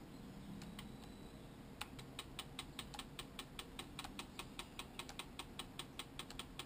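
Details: Sigma 10-20 lens making light, crisp clicks that repeat evenly at about two and a half per second over a quiet background. Clicking noise, cause unknown.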